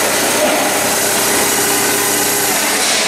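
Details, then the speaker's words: Komatsu (possibly GS20) with a crank-no-start, no-spark fault, ignition checked with scope and amp probe for a weak coil: engine catches and holds a loud, steady run with no misses; normal running after start. "right now you can hear it's already starting already started and it's running"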